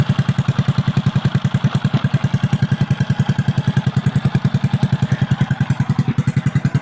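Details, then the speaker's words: Kick-started motorcycle after repair of engine damaged by running dry of oil and flood water, idling: loud, sharp, unmuffled single-cylinder bark over a steady idle; noise is from the cut-off exhaust pipe. "Perfect. So maingay lang yung tabutso dahil putol yung tabutso."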